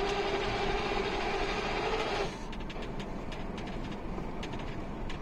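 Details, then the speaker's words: Mazda 6 2.0 diesel manual gearbox, coasting downhill in fourth with no throttle: steady whine that disappears with the clutch pressed or in neutral; also occurs in 1st, 2nd and 5th; owner suspects the shafts rather than bearings; gearbox later replaced. "Jak wcisnę sprzęgło to nie ma tego dźwięku na luzie jest w porządku"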